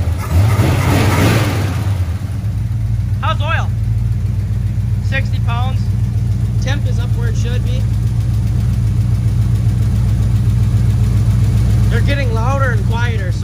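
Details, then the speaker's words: Squarebody Chevy C20 V8 idling with a valve cover off after 15 minutes at about 2000 rpm, oil pressure 60 psi: a quick, uneven clack swells and fades, with some coming back through the intake. Owner suspects a bad set of lifters. "i genuinely think i really got a shitty set of lifters"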